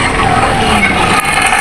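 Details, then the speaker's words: Mishuk three-wheeler: quick, uneven metallic clicking and ratcheting from both side wheels while rolling. "এই যে শব্দটা, এই শব্দটা কিন্তু গাড়ির দুই সাইডের চাকা থেকেই আসতেছে।"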